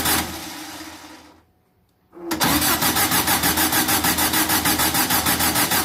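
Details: VW 2332cc engine, early-morning cold start, first firing after carbs removed and cleaned: cranks, catches, then lumpy idle pulsing about three times a second until carb mixture screws are set.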